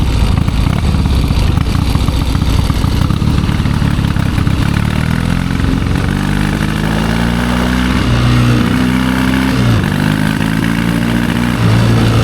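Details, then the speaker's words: 1972 Triumph Bonneville 650 twin, long unridden, ride test: rough clattery running that revs then sags and stumbles around 4,000 rpm, hardly quarter throttle; very rich running noted later. "Yeah, she's just not running that good, but that's okay. When we're about 4,000 RPM, it just really doesn't want to though."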